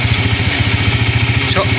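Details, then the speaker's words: 100cc single-cylinder motorcycle at idle; rough humming drone starts when the clutch lever is pressed and disappears when released, coming from inside the engine; worn clutch bearing. "इस तरीके से इसमें आवाज है मेरे दोस्तों जैसे ही हम क्लच को प्रेस करते हैं तो आवाज गूंज हमारी शुरू हो जाती है और जैसे ही हमें दोस्तों क्लच को छोड़ते हैं तो हमारी आवाज गायब हो जाती है"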